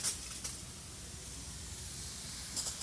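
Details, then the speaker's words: Residential sprinkler system zone four, front right yard, grass soggy after heavy rain: soft steady hiss of water with a few louder spurts as the heads fire up and run normally. "zone four is the front right yard and you can hear these firing up over here and then also these"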